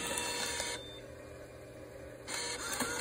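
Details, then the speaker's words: MegaTouch tabletop coin-operated arcade game that powers on beeping with no video signal: two short smooth motor whirs about two seconds apart, no grinding or stalling, as the bill acceptor pulls in a note normally. "However, the billet accepter does work. I'm going to show you that."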